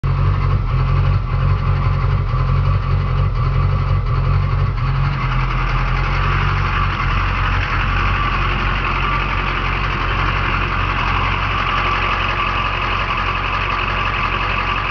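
A truck engine idles with an uneven, lumpy beat, stumbling more at the start before partly settling. Cause suspected, not confirmed.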